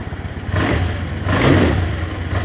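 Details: Honda Scoopy scooter restarted on its starter after drill-spin revival, following about a week unused; dirty magneto suspected. Small single revs in two quick blips and settles back smoothly, no misfire or clatter; running normally.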